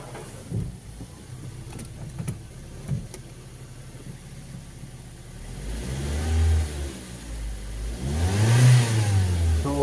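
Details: Ford Focus automatic transmission rattling while driving: the engine pulls up through the revs under load with a loose, uneven rattle underneath. On teardown, the gears and bearings inside were damaged, blamed on parking in Park without neutral and handbrake first.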